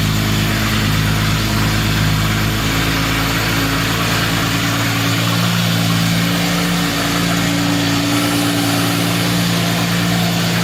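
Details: 1952 Jaguar XK120 FHC six-cylinder, first start in 40 years after Lucas C45PVS generator rebuild, starting carburetor in use: even, steady idle with smooth low hum, no knocks or misses; running sweetly.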